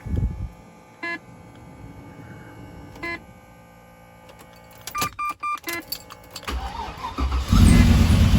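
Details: Rebuilt V8 about 3000 km after rebuild, checked for lifter noise and reassembled: a few beeps, then cold start settling to steady idle, only very slight noise remaining while cold; essentially normal cold start.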